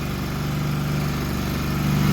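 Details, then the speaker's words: Walker mower brought in for backfiring through the carburetor, started with a little choke: settles into a fast, steady idle well above normal with no dip or hunt; rusted, stuck throttle linkage held it open. "finally really high saddling really high so we don't want that why is that going so high"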